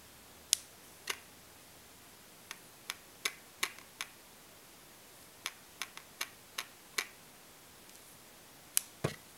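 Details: Olympus OM-D E-M1, new on release day, switched off and shaken up and down gives light irregular clicks; owner wonders whether the 5-axis stabiliser normally does this or it is an initial defect.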